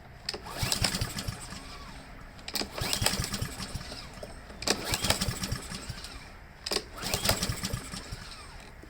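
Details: Husqvarna lawn mower that earlier needed help to start and hunted and surged badly: pull after pull about every two seconds, the engine turns over but never fires; fuel starvation from a clogged carburetor main jet.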